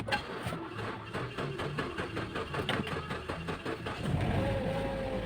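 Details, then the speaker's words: Mazda 6 after fixing no power, no crank, no start: slow, uneven chugging crank of two to three beats a second drags on before catching; weak, non-original battery near failure causes long cranking. "cranking siya lobat na yung ano battery malobat na no yan nag-cool start siya So umandar a lang long cranking yyung battery natin is malapit ng masira malapit ng bumigay"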